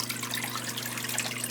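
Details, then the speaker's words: Failed Zoeller sump pump with two separate lines: a steady low mains hum with splashing, trickling water and no click-off when the float drops; the float switch has failed, the pump keeps running and will be replaced. "when that float goes down it should shut off hear it click and it's still running"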